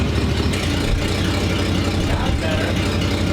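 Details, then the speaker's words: 1947 Ford panel truck after new custom exhaust routed over the axle, replacing open pipe dumping by the passenger door: deep, even idle with soft smooth rumble and a blip, quieter; slight exhaust leak suspected, otherwise healthy. "give it a little deuce sounds good it's got to be better less obnoxious"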